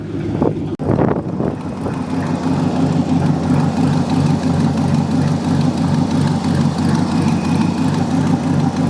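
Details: 1969 Ford LTD V8 after sitting for years, cold on the choke just after first start: deep, even burble at steady fast idle, no knocks or misses; warming up normally.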